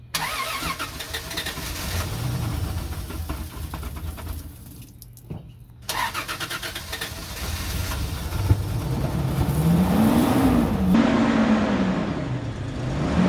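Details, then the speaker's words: 2004 Toyota Tundra 3.4L after sinking at a boat ramp, with most of the water drained from the fuel. The engine catches after cranking, then settles into an even idle with a couple of rev rises; it sounds healthy and smooth. "all right majority of the water's out still some in there but it's toyota so she should fire up now"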